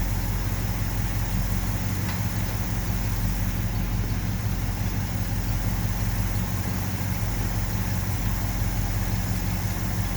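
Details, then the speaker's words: 1970 Ford F250, 360 V8, warming up after one new plug, plugs regapped to about 0.042, and idle mixture screws turned fully in without effect: slightly irregular, rich, loping idle; vacuum leak suspected, carb base bolts later found loose. "there's got to be a vacuum leak somewhere otherwise putting in those idle air mixture screws would have done something"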